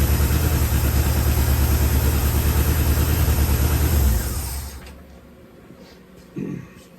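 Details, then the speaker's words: 1974 Chevrolet C10, high-mileage engine bought non-running, run briefly without coolant: low, uneven lumpy idle for about four seconds, then shut off; owner notes blow-by, rings may need reseating, needs a tune-up; rough idle. "It's got some blow by. Old engine got for a lot of miles on it. But you know, it's been set to the ring's got to reseat. You know, it needs to tune up, get it running good and all that."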